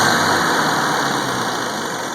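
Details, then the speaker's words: 1971 Volvo 140 (142) built by IPD, fitted with a fuel ratio controller, started cold with no throttle. It fires right up and settles into an even, steady idle with no misses, knocks or ticks. Normal idle. "So that's, you know, without giving it any gas at all, it just fires right up every time. So, runs great."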